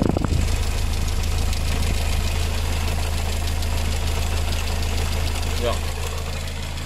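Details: VW engine, idling: a light, even tick about three per second on the engine note, like a hydraulic lifter tick. A new head gasket, bolts, coolant and filter are planned.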